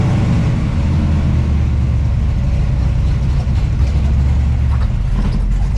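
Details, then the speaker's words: 1968 Camaro with fresh 383 stroker V8 (~500 hp) replacing the 327, on the road: deep, steady rumble holding even under way, no knocks or misses; healthy engine. "All right. Man, that sounds good. That felt good."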